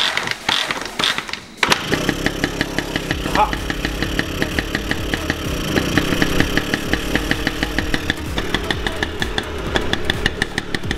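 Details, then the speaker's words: 1978 Honda Express two-stroke moped, kickstarted: ragged uneven popping idle that stumbles and never settles; running badly, blowing smoke and leaking oil everywhere. "okay so this thing is like running trash and it is absolutely blowing oil and smoke all over the drug it's out the back of the drop so as you saw this thing's blowing smoke not running right leaking oil everywhere"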